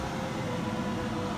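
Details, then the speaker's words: 2023 RAM Promaster with Butler Technik gasoline Webasto 2000 STC 12V 2kW heater, running after an initial pump fault code and two starts: steady even hiss of blower and combustion with a faint low hum, no surging or knocking; running normally. "Well, after the initial fault code that the pump wasn't working, it took 2 starts, and now it's running."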